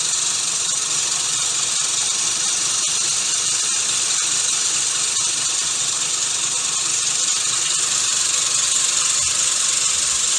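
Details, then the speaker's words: Gardena manual push reel mower being backlapped with a drill spinning the reel backwards and 120-grit lapping compound: steady high hiss of blades turning evenly against the bedknife, no single-blade knock; even contact. "so as it turns you can hear it's pretty pretty smooth even turn you don't hear one of the blades knocking and the rest being smooth it sounds good"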